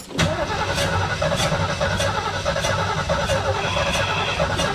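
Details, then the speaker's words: 1973 Mustang Mach 1 after a car wash: starter grinds steadily with the door buzzer chiming, but the engine never fires; moisture inside the distributor cap from spraying water under the hood. "okay I just took the cap off of the distributor and if we look inside can you see there's moisture inside of it so yep that's what we did we boned ourselves over by spraying too much underneath the hood or really on the distributor cap"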